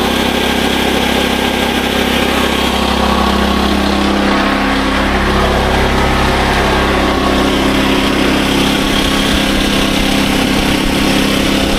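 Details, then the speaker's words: SDMO 5000W generator, Briggs & Stratton engine (about 18 hp, 296 cc), before repair: loud steady even drone, no misses or knocks, engine healthy, but output only about 4 V on 120 and 240; previous owner suspected a blown alternator. "So, as you can see in here, the generator starts up >> great, but we're not getting much voltage at all."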